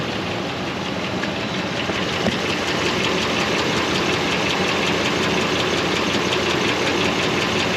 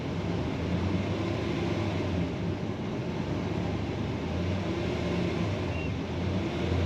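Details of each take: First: 2005 Dodge Ram 2500 Laramie 4x4, 5.7 Hemi on LPG, after throttle body clean: fairly regular light tick about 160 a minute over steady idle; owner hopes it is just the exhaust manifold, source unconfirmed. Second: 2005 Dodge Ram 2500 Laramie 4x4, 5.7 Hemi on LPG, after clearing codes and reconnecting an unplugged sensor: low, even rumble with no misses or stumbles; running a lot smoother.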